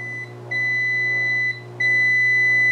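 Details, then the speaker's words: Speed Queen washer electronic controls with key beeps disabled: two clear high-pitched beeps, the second longer, over a quiet motor hum; cycle signal still beeps normally. "even if you disable that beep if you hit the signal that'll still beep"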